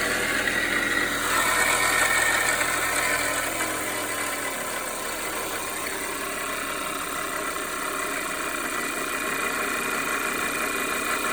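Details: 2010 Audi A4 2.0 TFSI Quattro (CAEB) at idle: constant clanking rattle about four per second, started as brief cold-start tapping in winter and worsened; timing chain suspected, but tensioner was not fully extended and sprocket-mark measurement was within spec; source unknown.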